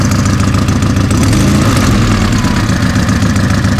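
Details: Car just reassembled after three months with new cylinder head, Niva camshaft and split cam gear: rough idle with uneven puffing tick about three or four per second; exhaust manifold gasket leaking, not the muffler.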